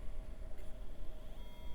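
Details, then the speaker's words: Early-1990s Packard Bell Legend hard drive, not the Conner, tested on a 486 bench: a faint whir rises then falls back, spinning up and down with no head movement heard, suggesting stuck heads (stiction). "Sounds like the hard drive's having some trouble. No, not the Connor. See if it figures its life out. No, it's just spinning up and down. I don't hear the heads trying to move."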